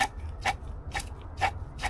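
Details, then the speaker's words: 2018 Mazda CX-5 old water pump turned by hand before replacement: rough gritty grind with a rasp about twice a second, far louder than the quiet new pump; worn water pump bearing. "hella loud imagine that like a higher RPM pain in the ass while this one quiet as hell bro quiet"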